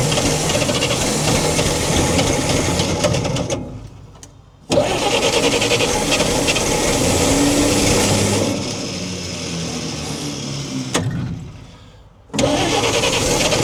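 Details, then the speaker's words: 1942 Chevrolet Blitz CMP 4WD truck, 216 petrol straight-six, gravity-fed carburettor, low fuel: engine catches, runs briefly, sags and dies twice; owner says carby problem, flooding. "Got a carby problem. It's just flooding."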